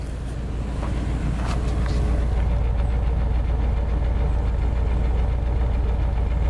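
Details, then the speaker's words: 1987 Plymouth Gran Fury, all-stock original engine: steady, even low rumble at idle with smog pump noise audible, no misses, knocks or ticks; idles smoothly, though the owner has a separate stalling-under-load problem. "so this is kind of a quiet C it's all stock it's all original so you don't hear a whole lot except just the smog pump I apologize for that it idles 100% just runs great starts right up"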